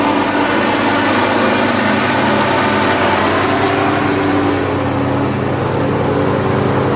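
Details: John Deere X540 mower, came in cranking with no spark and unused about a year; both coils dead, failed module replaced; steady engine note at even speed, no sputter or cutting out, both cylinders firing; normal running after repair.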